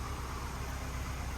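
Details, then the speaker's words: 2011 Ford Fusion SE, idling: a low, even hum with no ticking, knocking, rattles or vibrations; engine running smooth and healthy. "as you guys can tell the vehicle is currently running nice and smooth running engine no odd noises or vibrations"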